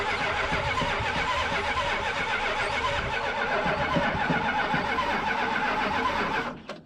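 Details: Big block 440 Dodge truck neglected over a decade, test fire after cleaning dirty connectors with fuel poured in: catches and roars with uneven, lumpy beat about six seconds, then cuts out suddenly; cause suspected, not confirmed.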